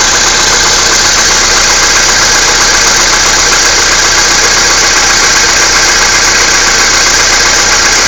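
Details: Skoda Fabia II 1.6 CFNA, about 22,000 km, cold start at −16 °C: a quick, fairly steady light knock about four times a second over the engine hiss at idle; cause unknown.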